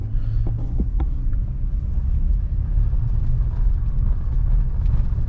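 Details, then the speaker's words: 2005+ Nissan Frontier (D40) driven over bumps with the hood popped open: low road rumble and dull thumps with no front-end squeak, suggesting a hood squeak rather than the bump stops. "Ooh, that quieted it down. It doesn't squeak when the hood's up."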